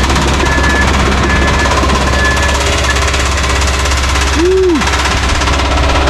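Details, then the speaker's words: Cummins QSB 4.5L diesel started to drive off trailer; heavy diesel clatter with hard metallic knocking throughout, sounds like it's about to throw a rod; severe engine knock, suspected bottom-end bearing failure. "bad sound sounds like it's about to throw a rod from what i hear which ain't good"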